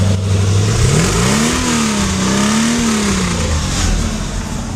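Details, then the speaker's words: Mercedes 450SL V8 converted to Megasquirt fuel injection, idling with the AFR needle moving slightly, then revved with the hand near the exhaust: smooth, even exhaust note rising and settling, no misses or knocks; runs very nicely. "And it runs very nicely. I don't know if you can hear the exhaust note."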